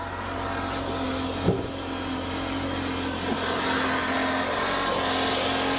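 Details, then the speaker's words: 2019 Chevy Cruze 1.4 turbo at 70,000 miles, driving: a steady droning whine over engine and road noise. It was not the purge valve; the noise seems to come from the transmission area. It shifts a little weird, with no fluid under the car. "Anyways, that sound was absolutely not a purge valve. Sounds like transmission area, which is fantastic."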